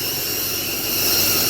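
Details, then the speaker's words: 2005 6.0 Powerstroke diesel at idle after a new turbo, wheel off: constant sharp hiss from one side only, other side quiet, no rhythm; exhaust up-pipe leak. "You come over here. You can hear it hissing. It's all from this side"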